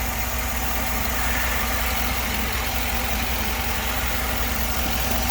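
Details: 2010 Chevy Tahoe V8 idling with a low, slightly uneven beat: cylinder 7 misfire, code P0307 (P0300 random misfire on a generic scanner), caused by a loose ignition coil wire; reconnecting it cleared the misfires.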